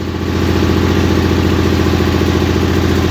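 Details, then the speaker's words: 1968 Hydro Trac 12 or circa-1974 SS16 garden tractor, cold start with the choke on: loud, choppy putter with an uneven beat, labouring as if about to shut off. Rough cold running on choke; the owner says it runs fine once warmed and rich. "fighting she wants to shut off but if you let it sit here in idle with the choke on for probably 30 seconds no it ain't happy"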